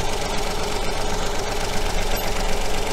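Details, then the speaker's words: Coil-on-plug engine idling with one injector unplugged to take that cylinder's fuel away: steady idle with a loose, lumpy beat, one cylinder missing its push; dead-cylinder misfire, suspected to change the second part of the ignition pattern. "I suspect the change in that second part of the pattern is down to the fact that there's no combustion taking place in that cylinder"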